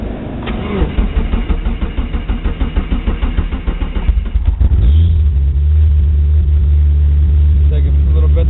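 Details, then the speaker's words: 1G Eagle Talon TSi DSM, 440 awhp, with 160 psi compression on all cylinders, sat a couple of days, started in gear with the clutch disengaged. It cranks about four seconds, catches cleanly and holds just over 2000 rpm in open loop, slightly rich: a normal cold start. "So she'll fire right up, no problem. Right now we're a little over 2 grand. She's in open loop. EGTs are coming up. Water temp will be shortly behind it. A little rich as you expect on startup."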